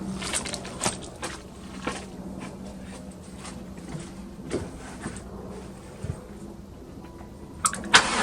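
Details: 1996 Chevy Tahoe bought sight unseen, sold as a runner: slow, tired starter cranking with faint irregular clicks after starting fluid was sprayed in. It never fires, the battery is weakening, and a jump start is planned.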